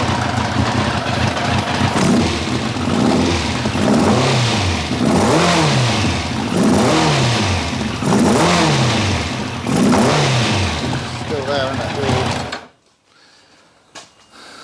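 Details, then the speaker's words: 1990 Kawasaki ZZR1100 four-cylinder running on three cylinders, after plug leads 2 and 3 were swapped back: revs rise and drop about every second, rough and spitting back through the carb, then cut out. Misfire; one cylinder suspected dead, cause unconfirmed. "it definitely sounded like it was spitting back through the cup wood"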